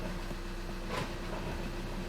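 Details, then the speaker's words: 2013 VW Jetta TDI manual, idling in neutral: a rough, gritty grind from under the hood when the clutch pedal is released. The clutch kit and flywheel are being replaced. "so when i let off there's a grinding noise coming from under the hood"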